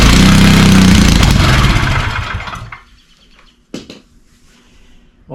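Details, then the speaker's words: Tecumseh single-cylinder engine on a vintage Wheel Horse Lawn Ranger, fed starting fluid: it fires and runs a couple of seconds at a steady fast beat, then dies; a carburetor or fuel system fault remains to be fixed. "that's what we were after. All right. Well, she starts, she runs. So, I got to figure out a fuel system."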